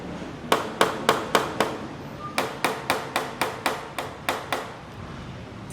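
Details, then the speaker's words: Bajaj Dominar motorcycle, loose tank shroud panel rattle: sharp hand taps about four a second give a hollow plastic clatter at the panel joints. Recorded before a planned opening of the tank to apply a Fevicol SR synthetic rubber layer inside to reduce vibration noise. "तो दोस्तों मैंने आपको ये खड़का के दिखा दी है, पहले एक बार दोबारा फिर से सुन ले।"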